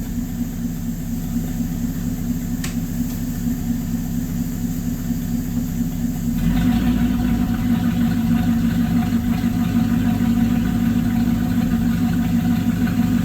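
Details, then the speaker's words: LaSalle engine, phone facing the exhaust, throttle held constant at about 1/4: low burble wavering and surging unevenly, rough hunting speed; owner suspects anti-percolator rods causing fuel starvation, unconfirmed. "Alright, again, I don't know how this will turn out till I listen to the video, but that roughness was not me, or the fluctuating in speed was not me playing with the throttle. That was me holding a constant about 1/4 throttle on the car."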